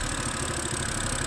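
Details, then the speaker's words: 2011 BMW E90 M3 idling after valve cover gasket and CCV valve replacement, smoking from the rear: lumpy uneven idle with irregular dips; code shows cylinder 2 misfire and banks 1 and 2 lean. "now you can see over there it's smoking and it comes from the back and it sounds really hard"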